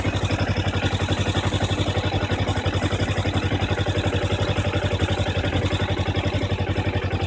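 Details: 2012 Kawasaki Ninja 250 at idle, mostly after a warm start: steady rhythmic chirp about four a second with clutch lever pulled in, loudest near the front wheel, stopping immediately when the clutch is released.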